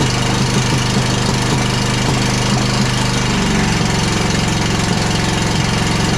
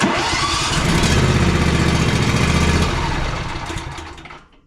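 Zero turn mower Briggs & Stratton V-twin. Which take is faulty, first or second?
first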